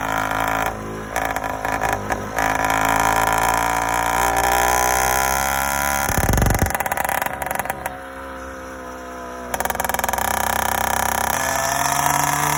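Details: Yamaha YD100 two-stroke motorcycle, first startup with reinstalled Dio reed valve, newly ported cylinder and self-windowed piston, no tuning done: revs up and down cleanly without stumbling or cutting out; starts easily, normal running.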